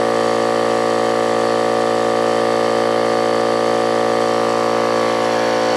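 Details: Old Brute air compressor, unloader valve leaking (check valve replaced, no difference), restarting after tank emptied via safety valve; steady hard pulse about 3.5 per second, metallic clatter over motor, worn pump.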